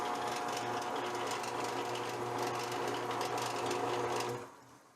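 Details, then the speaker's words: Roughly 39-year-old drill press with 1981 motor, running before teardown: steady motor hum with light uneven rattle on top until spin-down; something loose, cause not yet found. "can hear it does rattle a little bit so I think first thing I'm gonna do is just kind of tear this thing apart"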